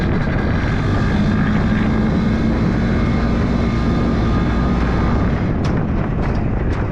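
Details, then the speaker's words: Yamaha G1 two-stroke golf cart engine after full rebuild, first run in reverse: steady, crisp, even drone under load with no knocks or misses; engine running clean and healthy. "so that it sounds nice and Cris by he that that stroke that you know the crispy sound it sounds good"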